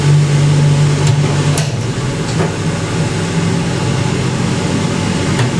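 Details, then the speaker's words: 1980s Ariston by Colston Electronic 3000 spin dryer, auto pump version, draining through hose: smooth constant low hum at steady pitch, faint occasional ticks, water whipped around at 3000 rpm, quiet, virtually no vibration; normal full-speed spin. "See the water getting whipped around? That's 3000 RPM. How quiet that is."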